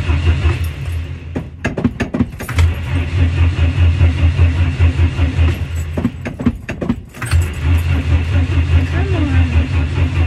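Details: Temperamental 1959 Ford Consul, cold start with heavy pedal pumping: long stretches of even, slow cranking broken by pauses and clatter, no firing; very hard starting. Cause unconfirmed.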